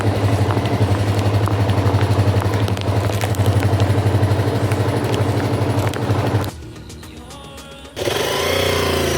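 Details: Rebuilt €500 motorcycle with a reassembled carburetor, running in heavy rain: even, steady low idle with a smooth regular beat and no knocks or misses; a healthy engine.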